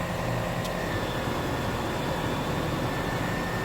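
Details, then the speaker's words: Car engine running with headlights and A/C switched on, voltage dropping to 13.83 V: a loud steady high whine over the engine that rises with electrical load. The charging circuit or alternator is suspected, not confirmed. "we have our headlights on we have our a/c on so we see a little bit of a voltage drop there already but boy oh boy oh boy is that bad boy screaming huh"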